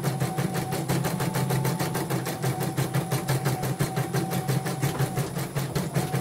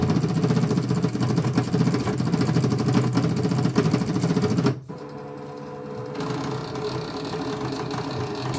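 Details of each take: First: Portable embroidery machine (came in blank screen, dead touchscreen, hoop not positioning, unable to embroider) test-stitching after mainboard replacement: even stitching beat about three per second with a light whir, no grinding; slight squeak after oiling is normal; normal stitching. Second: Infinity VG 001 portable embroidery machine with blank screen and unresponsive touchscreen: uneven mechanical chatter as the hoop carriage shuttles back and forth without homing.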